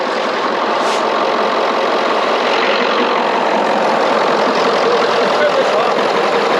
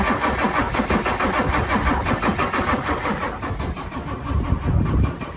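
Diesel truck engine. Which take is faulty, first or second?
second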